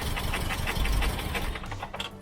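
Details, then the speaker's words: Freshly rebuilt Toyota 22RE, first start: rough, stumbling crank with uneven chuffs fading out after about 1.5 seconds; no start. Distributor rotor set about one tooth off; fix is reinstalling it one tooth clockwise. "now i'm out of room with the distributor there so it appears as if i didn't get the rotor quite set when i put it in initially so pull it out move it clockwise just a little bit roughly one more tooth"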